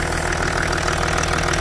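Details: Range Rover Sport L320 3.0 V6 twin-turbo diesel (306DT) after inlet manifold replacement for intermittent restricted performance (P1247/P006A), warming up to temperature: steady, even diesel idle, smooth low rumble, no ticking, chuffing or blowing; normal idle.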